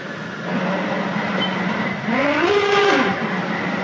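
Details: Nissan 200SX S14: pressing the clutch brings a noise that stops when released; reaching for reverse gives a short rising grinding whine over the idle, cause unclear.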